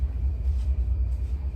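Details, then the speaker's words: 2010 Chevrolet Equinox at idle after the leaking exhaust was repaired: a deep, even low rumble with no hiss or puffing, now sealed and quiet. Normal exhaust note. "that's it amazing difference guys i don't know if the video as i said last time does it justice but it's so quiet"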